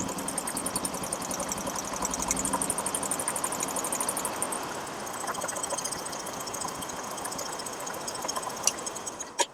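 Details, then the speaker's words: Royal Enfield Bullet 350 single idling with rocker covers removed: quick, even, sharp metallic tick-tick over the idle beat; no engine oil reaching the rockers is the main cause. "तो जैसा कि आप देख पा रहे हैं दोस्तों कि हमारे रोकर तक हमारा इंजन ऑयल सप्लाई नहीं हो रहा है, जो इसके एबनॉर्मल साउंड का मेन कारण है।"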